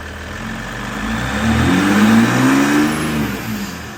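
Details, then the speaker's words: 2022 Ram EcoDiesel 3.0 diesel with aFe intake, just after installing aFe Power Blade Runner charge pipes: engine blips up and settles smoothly with a faint turbo whistle rising and falling; turbo now heard a bit more, normal revving. "from what I can hear sounds like you can hear the turbo a little bit more which is good"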